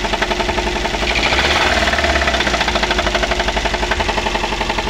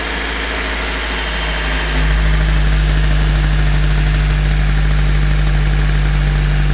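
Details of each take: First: Daihatsu Gran Max before repair, running rough and low on power, being revved. Hard, regular metallic knocking about four per second, as if the engine is about to break: connecting rod knock. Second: Daihatsu Gran Max, after repair of rough knocking sound when revved and oil pressure switch replaced, just started, oil light off, left idling to warm before revving: deep steady hum firming up after seconds, no knocking or misfire; healthy idle.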